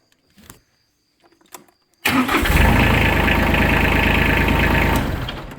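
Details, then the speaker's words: TYM 330 HST hydrostatic tractor diesel after fixing a loose plug on an electrical box (had clicked without starting and died randomly): a few clicks, brief crank, then catches cleanly into a steady, even idle; normal start. "And now it starts fine."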